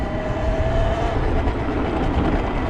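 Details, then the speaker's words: Talaria Sting MX5 electric dirt bike on a trail, hand holding the loose battery cover that had rattled: soft low trail rumble with a faint motor hum and no rattle; normal quiet electric motor. "But now I got my hand on the cover. Listen to this. Listen how quiet and pleasant that is."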